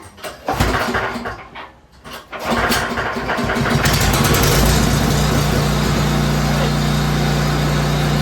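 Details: Free 30-inch 10 hp snowblower, fresh gas and oil, choked, primed, fuel on: a few cranking pulls, then the engine catches and settles into a steady, even idle; starts and runs healthy.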